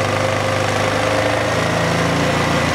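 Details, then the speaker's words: Polaris 500cc single-cylinder ATV idling after installing an RM11512 improved FF97 flywheel rotor with stainless-capped magnets; steady even thump, no knocks or misses; battery reads upwards of 14.6 volts, so the charging system and regulator work fine; normal idle. "So perfect, we see upwards of 14.6 volts, which says that we're getting good output from the charging system and the regulator's working fine, holding the voltage down."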